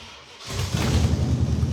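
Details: Roadkill Duster with a damaged header, electric fuel pump just switched on, still cold: engine catches after a second into a loud, deep, blatting rumble; exhaust leak at the split header.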